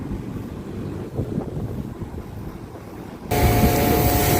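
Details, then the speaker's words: Daikin Thailand air conditioner after a capacitor replacement: following wind buffeting, the unit starts into a steady, even hum; the compressor and fan are running normally again. "Nah, ini dia , teman-teman, AC-nya sudah menyala lagi dan kompresornya bekerja"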